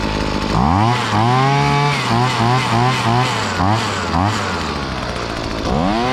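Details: Hitachi 23.9cc two-stroke gas engine, likely the 2015 unit, with an owner-noted fuel leak: picks up cleanly on each throttle blip, pitch rising and falling smoothly, then settles; runs healthy.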